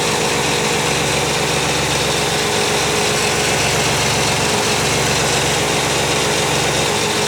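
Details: 1995 Pontiac Firebird 3.4 SFI after coil pack replacement: steady, even idle with no misses or stumbles, running much smoother than before; normal idle, test drive pending.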